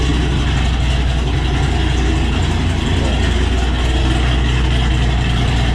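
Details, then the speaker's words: Cammed Ford GT500 after the tuner fixed its cold-start idle problem through data logging: loud, deep, lopey idle with a steady chop; air-fuel ratios much happier on this tune; normal cammed idle. "everything seems very happy like air fuel ratios in this tune are much happier and everything else"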